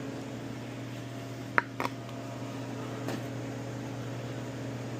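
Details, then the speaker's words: Frigidaire Professional double oven top convection fan after replacing motor with rough bearings: low, steady, even hum with no rubbing or rattle, a couple of door clicks; fan now running smoothly and quietly. "And we hook our cords back up. Oh yeah. Nice and quiet."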